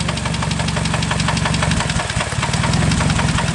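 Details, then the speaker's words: Engine idling with a sharp, regular knock about four per second that persists as revs drop; noise changes only when cylinder number one coil is pulled, pinpointing rod knock at number one. "see it changes right there cylinder number one is the issue here big time no time that's how you pinpoint exactly where your rod knock is at that quick that simple"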